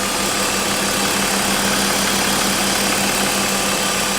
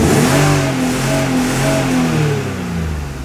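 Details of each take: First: BMW E36 after M50 intake manifold swap, aFe cold air intake and secondary throttle body delete, in a garage: steady, even idle with a loud throaty intake hiss, way louder than before, and a constant low hum, no misses or knocks; normal idle. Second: BMW E36, briefly warmed up, free-revving in the garage before intake manifold and cold air intake work: revs climb, then stutter against a hard cut around 5,500 rpm; the rev limiter cuts in early.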